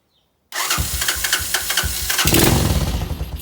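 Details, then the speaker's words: 1986 Honda TRX200SX quad after carburetor reinstalled and fresh fuel, petcock on reserve: engine cranks briefly, catches at once and settles into an even idle; normal easy start. "there you go she's running all right i'm up to idle up a little bit let's see how she works"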